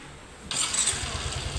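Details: Yamaha Mio i125 scooter: engine catches quickly and settles into a quiet, even idle, no longer noisy, with no ticking from the top end.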